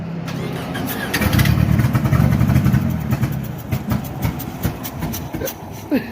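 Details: Ford Probe turbo after failing on a 30 psi pull, restarted once cooled: fast, uneven cranking with ragged, irregular firing that never settles; severe head gasket failure at cylinder 3, probably oil soaked.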